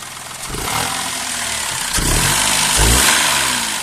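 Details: Daihatsu Move Custom L175S engine revving up and down with a loud, harsh, high-pitched scream over the running note; abnormal engine noise, cause unknown.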